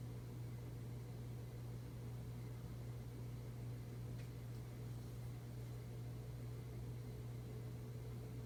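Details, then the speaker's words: 52" Emerson Heat Fan, 3 fiberglass blades, motor dated October 1981, on its original 1982 Emerson solid-state speed control at museum speeds: a steady low electrical hum under the soft air rush, from the solid-state control. "You might hear that it making humming noise, it's common with solid state speed controls. This is one reason why I don't call solid state speed control bedroom control or church control."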